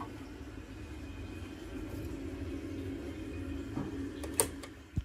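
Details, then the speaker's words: Old Worcester 28CDi boiler, no heating or hot water: low steady rumbling boil with faint hum and knocks; kettling because heat cannot escape, circulation issue likely from a pump not spinning. "that noise you heard that was the heat not being able to escape the ball a lot and coming from experience you'll know that that's going to be a circulation issue and it's normally going to be an issue with the pump"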